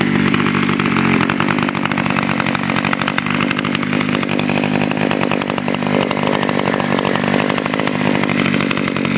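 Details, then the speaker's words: Kawasaki KHT600S with the TH23 engine started with auto choke and a quick pull, somewhat smoky: steady high-pitched buzz holding an even speed with no misses or surging; running healthy. "Turn it on, flip the auto choke, give it a quick pull. It is kind of smoky though. That's okay, I know it's good lubrication."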